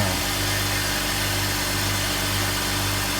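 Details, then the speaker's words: 2004 BMW X3 3.0, previously idling rough, at first start-up after about $800 of garage repairs including a new mass airflow sensor: a smooth, even idle hum with no shakes, misfires or ticking; normal idle. "No shakes, no rattles, no misfires, no ticking, no nothing."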